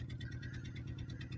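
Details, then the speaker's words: Four-cylinder with coil packs that each fire two plugs, test run with the coil pack unbolted: an uneven, lumpy idle from one dead cylinder. Misfire narrowed to either the plug or the coil under that coil pack. "one dead cylinder okay we got to find why we got a dead cylinder now either we got a plug bad narrowed down to the one underneath this coil or you have a bad coil under this"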